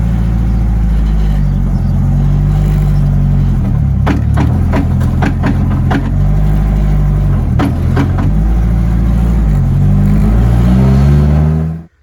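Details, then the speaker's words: Honda with a B20 swap and a used Integra Type R transmission: with the clutch pushed in it turns fine with no clicking; letting the clutch out brings heavy rattling clatter. The transmission is bad. Transmission noise with clutch engaged. "pushing the clutch turns fine no clicking let it out sounds like the whole car is gonna"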